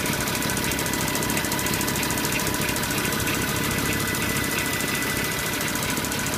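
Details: Porsche Cayenne 957 3.6 V6 FSI idling: a gritty timing chain grinding rasp on the left side, with a rapid regular FSI knocking tick on the right side; a worn timing chain is suspected.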